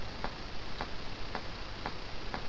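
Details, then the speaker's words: ECHO AudioFire 4 external sound card: sharp regular ticks, about two a second, over low hiss after warm-up; one channel's input preamp chip was overloaded and failed internally, and input levels bounce up and down rapidly. "basically it will start ticking no it's not a bomb it is a a problem with one of the input preamplifiers and how do i know this because it's done it before"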